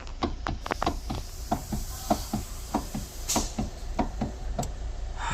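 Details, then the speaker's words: Kia Soul steering wheel worked back and forth: sharp hollow knocks about one every half second. Most likely from the steering coupling, which is replaced after removing the ESP motor below. "direksiyondan bu şekilde ses geliyorsa araç Kia Sou gruplarında kaplinen bir parça var. O parçadan dolayı bu sesi yapma ihtimali çok yüksek."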